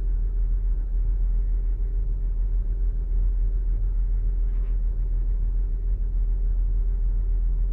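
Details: 2008 Saturn Outlook cold start: low, uneven rumble with an irregular stumble about three times a second, misfiring while cold; owner wonders whether commanded air/fuel ratio dips during open loop, a computer glitch, cause it. Unconfirmed.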